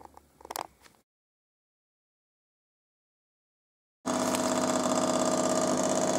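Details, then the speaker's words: Jura CZ117 coffee machine at end of descaling: after a pause, loud steady buzzing hum with fast rattle, about 200 pulses a minute, "like a tractor"; pump running dry, which is expected and normal. "jak teraz działa TR jak traktor nie tak ma właśnie działać"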